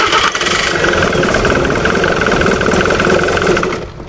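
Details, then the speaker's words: 2007 Jaguar X-Type SE 2.2 diesel with an intermittent no-start: continuous rough buzzing from the injectors over the cranking rhythm as they try to relieve high pressure; engine never catches. Codes P2288 injection control pressure too high and P0191 fuel rail pressure circuit. "Try it again, and you can hear the buzzing from the injectors where it's trying to get rid of the high pressure."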